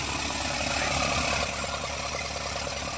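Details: Isuzu NHR55 4JB1 diesel, long unused, water previously found in injector nozzle, started with one wire to pump solenoid and starter direct to battery, radiator not fitted: clatters unevenly at about three beats a second with lumpy idle; valve leakage blamed; rough idle.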